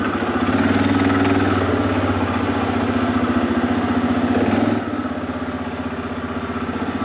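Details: 2007 Arctic Cat ATV 400 engine at steady idle with regular low beat, no misses, knocks or hunting, after sitting a year and a half; fixed with carburetor cleaning and a new spark plug, runs smoothly.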